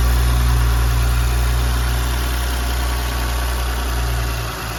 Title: B9 S4 Engine sound after rocker arms replaced! 48k miles